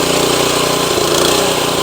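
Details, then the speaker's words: Tru-Cut C-25 reel mower with Honda GX160 engine, briefly warmed after choke start: busy drone that won't hold steady, swelling and sagging even at full throttle; surging blamed on the carburetor, later replaced. "As you guys can hear, it starts to surge even at full throttle."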